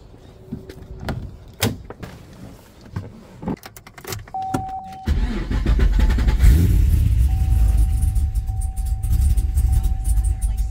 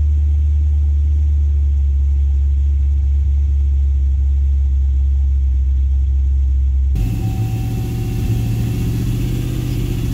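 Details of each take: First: Gen 1 Cadillac CTS-V V8, started after sitting about two years; cranks, catches and settles into a low, uneven, lumpy idle, running rough while cold. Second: Cadillac CTS-V (gen 1, big cam) found abandoned, idling after a first start with a short throttle blip: deep, even rumble, no ticking from the top end, good oil pressure, no unhappy lifters; settles back to idling fine. Normal idle.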